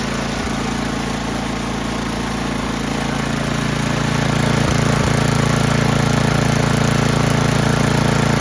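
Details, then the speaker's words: Old Toro 824 Power Throw snow blower, 8 hp Tecumseh single, long stored, old gas drained and inline filter added: runs at a fast patter with slight dips and swells, hesitating after start; Seafoam added as a precaution, cause unconfirmed. "so as a precaution we're going to see since that's been sitting so long we're going to see if that seafoam help keep it running good it was kind of hesitating there for"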